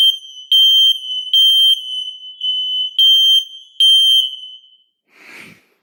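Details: Kidde ionization hardwired smoke alarms (model possibly 1275) on test: loud high shrill beeps in short bursts, slightly out of step as a second interconnected unit joins; sounding correctly, interconnection wiring verified.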